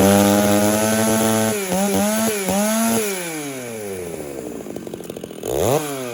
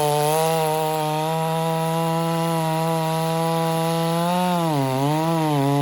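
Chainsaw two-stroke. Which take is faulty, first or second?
first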